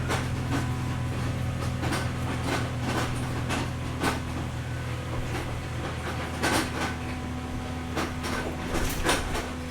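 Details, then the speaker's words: Mercedes ML55 AMG W163 before repair, engine running in gear: irregular crunching clunks over a steady low drone. No wheels spin, though they spin in reverse; transfer case confirmed destroyed, later replaced with a used unit. Transfer case grinding. "So, none of the wheels will even spin. In reverse, they'll spin. That is 100% the transfer case."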